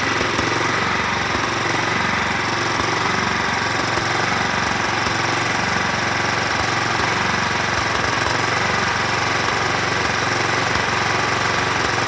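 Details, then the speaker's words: 2004 John Deere L110 riding mower, Kohler Command 17.5 hp, 565 hours: rough, uneven hunting speed with sputtering; surging, possible carburetor jet blockage suspected, not confirmed. "so I think we said it had 565 hours you could hear the surging I'm going to go ahead and take the carb off and clean it up a little bit of sputtering and surging it wouldn't hurt to clean up the carb"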